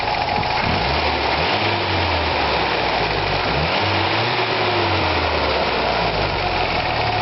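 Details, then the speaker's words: 1982 Toyota pickup 22R, warm after 30–45 minutes of driving, after water pump replacement: smooth idle rising cleanly with throttle blips, rattle gone, faint long-standing valve tick remains, slightly quieter. "No more nasty rattle. It's gone. Not a little valve tick. It's always been there. It's a little less right now."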